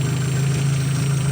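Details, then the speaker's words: Opel Zafira 1.8 Z18XE petrol engine idling smoothly with a steady low hum and no lifter tick after repair: INA hydraulic lifters cleaned in petrol and refilled with oil, engine flushed, oil changed; knocking was blamed on poor-quality oil. "так масло поменяно двигатель промыт [музыка] гидрокомпенсаторы не стучат"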